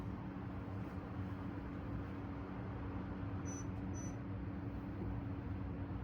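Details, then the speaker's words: Vintage 1975–76 Kou Horng 6-inch desk fan, shaft thrust washers wearing: constant low buzzing drone with brief high chirps and slight rattle as it spins; seller claimed bearings oiled, later quieted with more oil. "it's making some kind of weird noise could be bearing issues that's probably the price you pay when you get this stuff it's nothing the seller can do about it"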